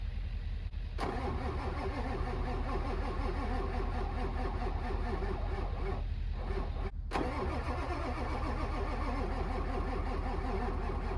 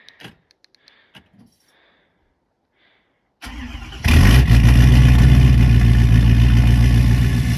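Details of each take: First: Winter retry of a diesel truck: long, even cranking at about 2.5 turns a second for over ten seconds without firing. A hard-starting diesel; the owner fears it may be a challenge. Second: 6.7 diesel truck started in winter: quiet, then a short crank and it catches instantly, settling into a steady, even idle clatter. It just fires right up; a healthy cold start.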